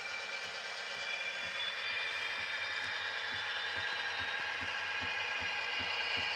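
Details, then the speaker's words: HO scale model train locomotive running on a layout: light metallic clanks repeating about three to four times a second over a thin motor hiss, suggesting a mechanical knock in the drive. "Oh, it sounds so bad. Oh, the clanking."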